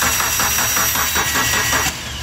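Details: Dodge Neon that arrived running but won't start after its engine oil pressure switch was replaced: quick, even cranking pulses about five per second for two seconds, then stops; starter spins freely when fed directly, relay circuit under test.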